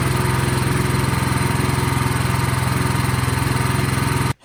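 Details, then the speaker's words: Craftsman snowblower single-cylinder engine, partially reassembled, gas and choke on: fast even chugging at steady speed with no misses or surging, then stops cleanly; runs well. "All right, sounds awesome."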